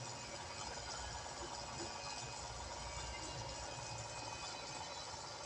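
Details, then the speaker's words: Kolin 3hp aircon fan motor after replacing stuck, stiff bearings with new ones: soft, even whir with no rumble, rattle or squeal; no noise, normal fan motor running. "Wala namang ingay din."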